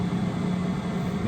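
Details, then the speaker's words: Newly installed HLN Aerolyn 4000 Pro 4kW 12V diesel air heater in a van, running on a windy day. Most sound comes from the exhaust and muffler, with the fuel pump faintly audible. A low, steady, evenly pulsing exhaust rumble without rattles. Normal running. "if I close the seat and the door, I mean, most of the sound comes from here, from the exhaust and the muffler. I can also hear the pump."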